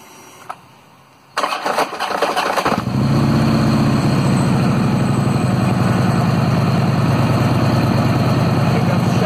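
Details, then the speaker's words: 2009 Harley-Davidson Road King 96 cubic inch V-twin giving harsh metallic clunks during cranking before catching and idling: an engine compensator with a worn, weak spring pack. "okay just so you can hear a noisy compensator one more time if it made you cringe you're not alone that's what a noisy compensator with a weak spring pack sounds like"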